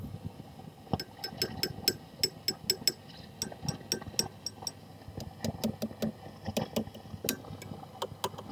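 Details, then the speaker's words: Second-hand Marshall DSL40CR tube amp, High Output mode on the red channel: random sharp crackles and pops through hiss, present even with volume down, tapping the tubes changes nothing; power tubes blamed, fixed by replacing and biasing them. "I'll just try on the high setting now. There's that lovely noise again."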